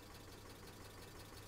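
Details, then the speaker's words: 2005 Mercedes ML350 (W163), about 168,000 miles, bought nearly out of oil and given five quarts, after the drive home: a light, fast tick over the idle rumble throughout; cause unknown. "let's see what the engine sounds like still got a really bad tick oh that didn't sound good"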